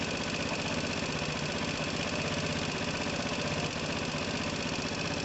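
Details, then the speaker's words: 2012 Piaggio Typhoon with a swapped-in 125cc engine and a swapped carb, on first start-up attempt: the small single idles at a steady, even beat with no stumbling, smooth. "but that sounds smooth as anything yeah"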